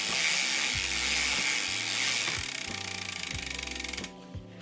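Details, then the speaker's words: Mountain bike drivetrain after a big weekend ride, dirty chain: gritty, hissy grinding with steady clicking each pedal turn, noisy and hard to pedal; chain not very dirty so owner suspects further drivetrain problems. "but to be honest for how noisy and difficult it was to pedal i think i have some more problems"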